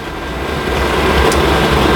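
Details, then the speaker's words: Generic pressure washer boiler with the fuel solenoid cable deliberately pulled: steady fan roar rises then holds, with no thump of a flame lighting. No fuel reaches the burner, so flame failure is expected, shutting everything off until reset. "we pull the cable off the fuel solenoid so there's now no fuel going in it should come up flame"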